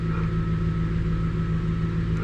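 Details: 1999 Infiniti Q45 (Y33, VH41DE V8), 190,000+ miles, after throttle body cleaning for a rough idle: steady, even idle in drive with a smooth low hum, no shake, tug or stumble.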